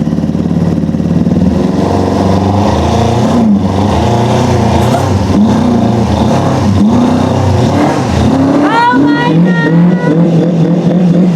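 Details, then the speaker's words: Four-cylinder track bike after its spark plugs were found wet. Rough, lumpy, wavering running, firing on only two or three cylinders. Owners suspect an intermittent ignition wire fault on cylinders 3 and 4. "only running on like 3 or maybe even 2, but it is running."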